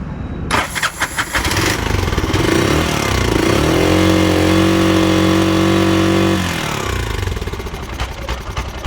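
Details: Bajaj BS3 auto: cranks, catches and settles into a choppy, uneven idle with hollow drone; air filter blocked (waste cloth stuffed in) and ignition timing set wrong, causing rough running.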